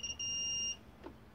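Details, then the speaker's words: Taramps HD100 car audio amplifier module going into protection; continuity beep on transformer with turns unsoldered: one turn is shorted, touching the orange secondary wire. "essa espira aqui ela tá ruim ela tá encostando no fio laranja no secundário"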